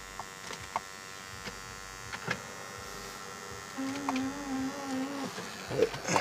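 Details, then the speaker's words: 2002 BMW 745 interior, key on: steady low electrical hum among scattered clicks in the cabin; audio system keeps cutting on and off and freezing, attributed to a bad GPS unit plugged in. "But I'm about to go show you the inside of the car. Got the humming noise in here."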